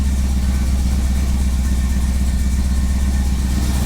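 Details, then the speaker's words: Firebird V8 after fixing minor vacuum leaks, idle set to about 1000 rpm: deep even burble, steady loping pulse, no misses or hiss; healthy settled idle. "that's about a thousand that sounds way happier no driving vacuum leaks for good things"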